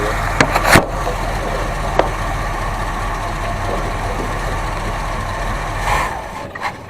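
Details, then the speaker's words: 1970 Buick Riviera 455 V8 first start after revival, charging at 14.3 V: uneven loping, chugging idle with sharp clatters, starving because it has no fuel; it needs a fuel pump. "yeah we need fuel pump - I was wondering why it's chugging why is it chugging because it has no fuel"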